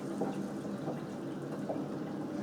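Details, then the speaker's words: Newly installed Kohler K6299 wall-hung toilet on a K6284 carrier, tank refilling after a flush: a steady hiss with soft gurgles and even flow, a normal refill. "And then you can hear in the background the tank is filling. And then once that fills, I'll go ahead and do the high flow flush too."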